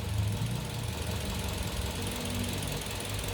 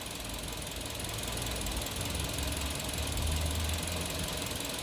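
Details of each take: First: Kia New Carens 2.0 LPI engine at idle after spark plug replacement: steady, even low rumble with no stumbles; the earlier misfire/rough idle (engine bujo) was caused by faulty spark plugs and is now gone. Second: Kia New Carens with a 2.0 LPI (LPG) engine that the owner says has recently felt jerky. Uneven idle with irregular dull thumps about three or four a second and stumbles breaking the rhythm: a cylinder misfiring, traced with ignition coils swapped between cylinders 2 and 3.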